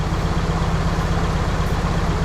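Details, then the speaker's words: Nissan 240SX KA24DE, first start after removing the timing chain guides and cleaning the tensioner, possibly cold: a rough, shaky idle with skipped beats. The cylinder 3 ignition wire was on the wrong cylinder, crossing the plug wires and causing a misfire. "It started off really rough. A lot of shaking. Not gonna lie, that does not look good."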